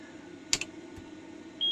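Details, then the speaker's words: Chip tester checking a 6821 PIA from a Williams System 9 Space Shuttle pinball CPU board that won't play a game: a couple of sharp clicks, then a steady high fail beep, confirming the PIA is bad and needs replacing. "yep that's a bad Pia let's go grab a new one"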